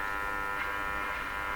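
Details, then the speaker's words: Stromberg Carlson 561 tube radio during front-end alignment, tuning through the band: steady raspy unmodulated buzz from extraneous signals, fading as noise makes the AVC quiet the radio; radio interference buzz. "just picking up extraneous signals while I'm tuning through this sounds like a loud strong signal but I guess it really isn't because the noise is causing the AVC to quiet the radio and we're hearing this buzz go down"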